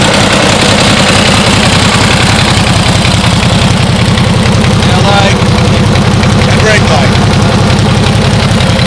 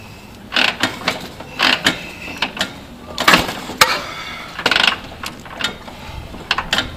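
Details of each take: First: 1949 Harley-Davidson Panhead FL, first start after fuelling up: loping, uneven V-twin beat at about three to four pulses a second, steady and strong until shut-off; healthy idle. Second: 1949 Harley-Davidson Panhead, long unridden, gum in carburetor: repeated ratcheting clunks kick after kick, engine turning briefly but never firing; fails to start, owner suspects too little gas and gummed carb.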